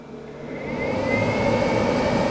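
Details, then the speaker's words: Inverter charging vehicles from EEL DIY V5 LF280K battery at lowest 1.1 kW setting: rushing airflow swelling over the first second with a faint climbing tone, then steady. Normal cooling fan spin-up. "fans coming on yeah 1.1 Kow so this is the lowest setting I can do"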